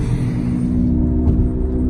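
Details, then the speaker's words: Chevy Equinox (2001–2008) or Pontiac Torrent (2006–2009) driving on the road: a loud, steady low howl under road noise. Its pitch changes when steering left to right, which points to a bad wheel bearing rather than the differential or driveshaft. "got a loud howl like that I'm pretty sure you folks should be able to hear that if you take the car and you turn it left to right and the pitch changes it's definitely a bad bilberry"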